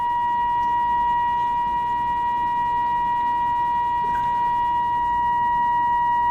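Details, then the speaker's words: Philco 38-12 radio during alignment: a steady pure tone near 1 kHz over faint hiss comes through from the signal generator and gets louder as 12B is tuned to peak. "so we're peaking there. Alright, so we're going to hit 12B. You can hear it getting louder."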